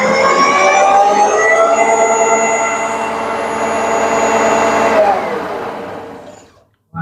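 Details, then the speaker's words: Shopsmith Mark V 7520 on the router/shaper setting, 8,500 RPM: a clean, steady high whine that falls away evenly as it coasts down; the motor sounds smooth and healthy. "This is router shaper. This is going to do 8,500 RPM."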